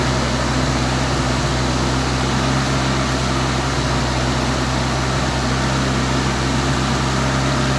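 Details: 1984 Toyota Tercel 4WD carbureted engine, warm, holding a steady fast idle around 2,000 RPM with even drone; cracked vacuum lines replaced, thermostatic vacuum switch suspected stuck or cracked, not confirmed.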